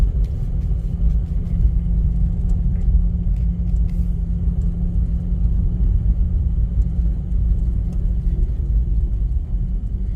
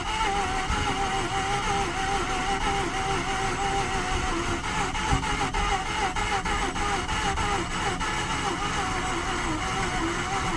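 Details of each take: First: 2009 Mazda RX-8 Grand Touring rotary, 6-speed manual, 215k miles, unrun 8 months with suspected low compression, idling in gear with the defrost/AC compressor loading it around -8°. Idle sags slightly, then rebounds without stumbling, so it is normal. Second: 2009 Mazda RX-8 Grand Touring, 6-speed manual, 215k miles, not run in 8 months, at -8: steady starter whir with a few weak pops and stumbles, never catching; thick cold oil slows cranking, low compression suspected.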